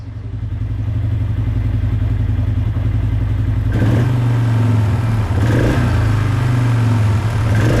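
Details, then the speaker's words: 2005 Polaris Trail Boss 330, not run in years, airbox refitted: low, uneven idle that hangs, crackles and coughs; cause either idle screw set too high or the intake boot air leak; unstable idle from intake air leak. "see if it still crackles and coughs a little bit at an idle the idle is hanging around and that's an indicator of either your idle is set too high so your your mixture grew is not controlling the idle"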